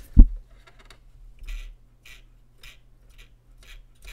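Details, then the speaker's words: Soundesign Model 3578 flip clock radio motor: quiet hum with a sharp, scratchy tick about twice a second. A rough or dry gear inside the gearbox is suspected; lubrication may fix it. "probably it's a it's a Jinky gear inside this gearbox I mean it could be yeah it's going to be inside this gearbox maybe I can lubricate it and it'll just take care of everything"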